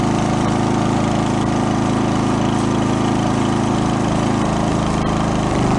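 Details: Toro 1132 snowblower pulled from the junk pile, running on gas at full throttle: small engine holds a steady, even drone with no misses or knocks; normal full-throttle running.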